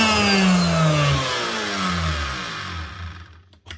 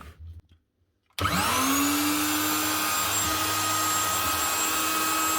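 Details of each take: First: Virutex FC116U self-feeding door morticer, customer reports very noisy: router motor runs and winds down with rough, pulsing rumble under falling whine and felt vibration; worn motor bearings, later replaced. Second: 2012 Virutex FC116 self-feeding door morticer running after bearing replacement: motor spins up with rising whine to a clean steady high hum, no vibration, rumble or rattle; much smoother.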